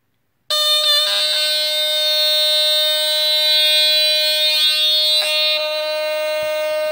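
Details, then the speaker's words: 1970s Statitrol SmokeGard 700A, first battery ionization smoke alarm, three PX-21 4.5V batteries, electromechanical squealer horn, smoke test: loud steady high squeal that keeps going until the unit is hit; alarm sticks on. "all right yep you have to hit it sometimes to get it to stop going off for some reason i have no idea why but it did that before"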